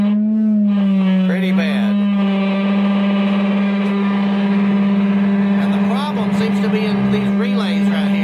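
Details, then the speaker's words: Fender Blues Deluxe Reissue amp brought in for intermittent buzz, roughly 200 Hz test tone into an 8 ohm load: steady tone harsh and buzzy with gritty overtones, badly distorted. "well what I've discovered is here's the problem if you watch this that's it pretty bad huh"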